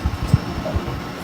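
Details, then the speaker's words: 16-inch pedestal fan on third speed: a low, uneven rumble with a few dull thumps as it struggles on seized, dusty motor bearings that need lubrication. "definitely a Seas bearings huh okay never mind that's definit yeah see all right yeah I think this does need lubrication so I'll open it up"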